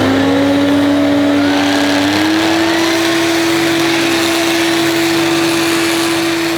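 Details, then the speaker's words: Used Electrolux 380 Turbomatic vacuum cleaner running: a loud, steady high whine that steps up slightly in pitch then holds. It should not make that noise and needs work. "no indeed should not make that noise anyway that'll do for today it needs work"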